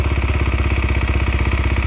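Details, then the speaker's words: 2020 SSR Motorsports SR300 single-cylinder dirt bike after installing a Lectron carburetor, idle tuned by hand: steady, even thump at about thirteen pulses a second; normal idle that sounds good. "man that sounds good i'm tuning the idol by hand"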